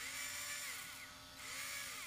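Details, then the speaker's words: ARRMA 4S BLX brushless RC motor after bearing replacement with Tekno 5x13x4 bearings. Previously the rotor got very hot (guessed about 180°); now it is not hot. Clean high whine swelling with throttle, no grinding or scratchy bearing noise. Normal running. "right off the bat it sounds different than last time so this is a good thing yeah and the rotor is not stupid hot either"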